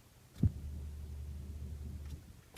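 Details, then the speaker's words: 2006 Toyota Matrix 1ZZ-FE, manual, key on with no crank, mic near the rear seat over the fuel pump; a faint steady low hum for about a second and a half then cutoff: normal fuel pump prime. "so it sounds like the fuel pump is running"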